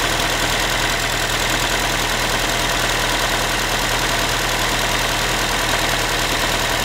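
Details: Ford Focus 3, 1.6 (125 hp) engine at cold idle after a cold start: a tinny, tin-can rattle ticking roughly three times a second over the engine hum; source unclear, owner asking what it is.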